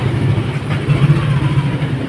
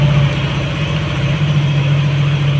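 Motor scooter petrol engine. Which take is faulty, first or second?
first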